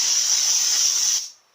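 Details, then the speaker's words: Bench air test of a normally open solenoid from a 1996 Jeep Cherokee 4.0 petrol A340 (AW4) automatic; steady sharp hiss for just over a second, then cut off cleanly when power is applied, the solenoid sealing properly when energised. "There's the air going through it, and now I'm going to press the power. And it closes off."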